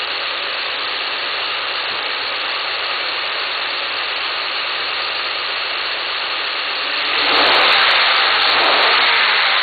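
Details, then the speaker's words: 2010 Ford Sport Trac Adrenalin, stock intake before K&N 63-2573 cold air intake install, parked: steady hiss then smooth swell as revved to about 3,500 RPM; no knocks or rattles, normal. "Okay, before I actually do the installation, just want you guys to hear the sound from the stock intake system. Okay. And I'm gonna rev the engine to maybe 4,000, 5,000 RPM, so you can hear the"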